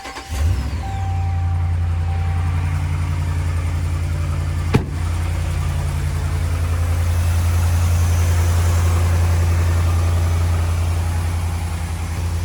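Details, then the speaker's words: 2010 Dodge Ram 5.7 Hemi, restarted after erasing P1524 oil pressure system code: catches quickly and settles into smooth, even, deep idle with steady rhythm and no knocks or ticks; runs healthy. "Give it a few minutes. That should do it. Sounds nice, right?"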